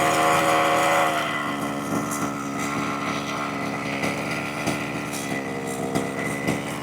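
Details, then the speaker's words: 1/5 scale petrol RC buggy two-stroke, new to the owner, after a leaning adjustment raised the idle sharply: the high buzzy note drops but stays fast and uneven; idle still set too high. "So now let's take that down a little bit. Nope, still too much."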